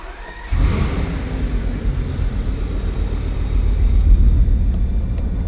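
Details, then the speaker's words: Repossessed Bugatti Veyron: deep uneven lumpy stumbling rumble on cold start; misfire worse from cold, secondary air pumps not heard powering up, cause unconfirmed; car also won't engage gears. "But another thing on my mind is the misfire as well. And it seems to be a lot worse from cold start."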